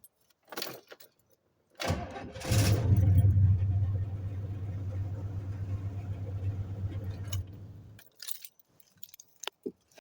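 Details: 1995 Chevy with a bad transmission, after sitting a year: keys rattle, starter cranks briefly, engine fires and settles into a smooth steady idle; starts with no problem and still goes in reverse and first gear.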